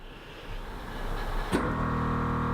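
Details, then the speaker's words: Toyota Hilux air suspension compressor switched on to raise the suspension: abrupt kick-in then steady even electric hum and whine; normal compressor operation. "hear the compressor kicking in there."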